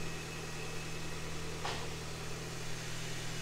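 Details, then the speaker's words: Ford Ka with DIY turbo conversion, first start after rebuild with manifold, oil return and boost pipes refitted, still cold before warm-up: smooth steady idle, even hum, turbo spooling fine, no misfire, exhaust leak gone; normal idle. "Turbo spooling all right. Doesn't seem to be misfiring."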